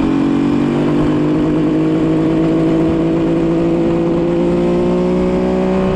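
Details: 1974 Kawasaki H1 Mach III fitted with an H2 750cc two-stroke triple, revving after the restrictive bogging air filters were removed: crisp, clean rise in pitch, pulling freely without bogging; normal revving.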